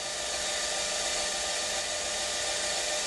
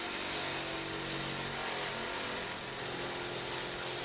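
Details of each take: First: LabVolt synchronous motor started with dyno load at minimum and maximum excitation: smooth steady high whir without hunting or surging as it pulls into synchronism; loaded start sounded rough instead. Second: LabVolt synchronous motor started with maximum dyno load and maximum excitation: harsh, rough buzzing roar with shrill hiss, never settling, torque about 1.36 N·m; too loaded to pull into synchronism.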